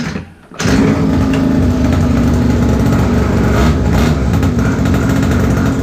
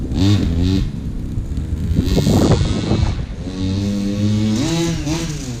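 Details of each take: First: Old pocket bike that sat about 10 years, with a new carburetor, air filter and fuel filter, fresh fuel, a cleaned plug and confirmed spark after a magneto reset: the small single revs unevenly and sags as the throttle opens, then bogs out and shuts off. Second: Old pocket bike with a small two-stroke engine, sat about 10 years, now running after tuning: it revs up and down cleanly, picks up crisply with no bogging or stumbling under throttle; normal running, no longer bogs down.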